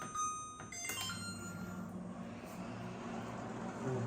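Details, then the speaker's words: LG inverter microwave that clicked and didn't heat, after swapping in magnetron from old microwave, heating soup 30 seconds; button beeps then steady low buzzing hum, heating normally. "Good. Can you hear the buzzing? It's working. It's working. It's working."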